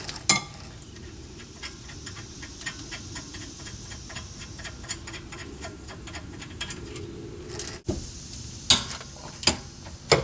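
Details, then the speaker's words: 2006 Honda Accord rear hub, wheel off and brake caliber and pads removed, hub spun by hand with no load; uneven ticking and gritty clicks about forty a minute; worn rear wheel bearing, hub bearing assembly to be replaced. "so you can hear right there that that is the cause of the problem and that's without any load on it either"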